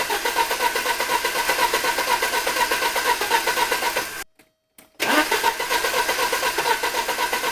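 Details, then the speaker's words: 1983 Porsche 944 Turbo with a dead battery, cranked from a jump pack, after a new fuel pump and relay were fitted; the fuel rail gauge shows pressure. Long, steady cranking at about four turns a second with a brief pause; it never fires, cause unknown. "it's showing pressure so we know the fuel pump is now working it's getting gas I'm not sure why it's not starting though"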